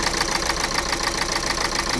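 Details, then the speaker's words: 2011 Renault Scenic 1.5 dCi diesel idling after a poor, late start: regular knock with uneven lumpy rhythm from cylinder 1 misfire; code shows cylinder 1 injector control circuit open, injector suspected. "So the starting is very uh poor. It's starting very late is misfiring."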